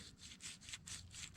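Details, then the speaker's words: Differential carrier bearing removed from the rear end, spun by hand: dry, gritty rasp pulsing with each turn; badly chewed-up races, the side owner suspected; the other side's bearing is smooth, both being replaced. "it is chewed up I mean chewed up bad and it's the one I said it was too so that makes me feel more gooder"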